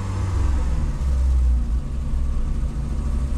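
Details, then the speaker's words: VW Golf 2 with carburettor, owner blames the carb, choke partly on: deep engine drone rises, then sags and pulls back up unevenly when accelerated, with a low rumble; engine bogging at low revs, cause unclear. "regarde là elle commence là j'accélère elle descend un peu elle remonte"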